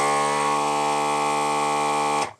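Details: ZD-915 desoldering station vacuum pump after repair, voltage checked at pump (about 12.5 V vs 12 V nominal, stable): even reedy buzzing drone for about two seconds, then clean cutoff; normal pump operation.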